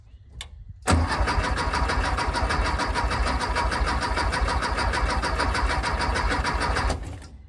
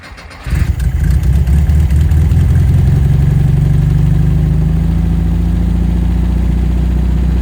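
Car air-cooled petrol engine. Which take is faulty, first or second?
first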